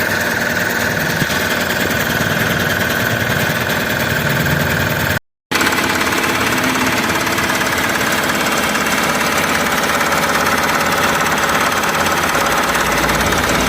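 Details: Mahindra Supro van after replacing the camshaft position sensor and checking wiring for code P0341 and misfire: the engine idles steadily with a light, even clatter, no stumble or miss.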